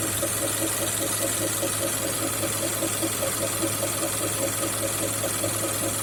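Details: Mazda CX-5 2.5 L PY Skyactiv, fully warm, at idle about 30 s after stopping: a light, fairly even tapping two to three times a second over a low hum. It is an intermittent knock; one suspicion is the intake manifold swirl flaps.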